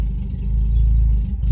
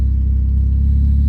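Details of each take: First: PT Cruiser with open header, warming up after start on low battery voltage, alternator charging but belt not tight enough; loud raspy blare swelling and dropping with throttle, settling to rough idle; open header exhaust. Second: PT Cruiser with wrapped exhaust manifold and open downpipe, warming up after tune-up; loud deep even exhaust drone with a steady pulse and no belt squeak, voltage good, running normally.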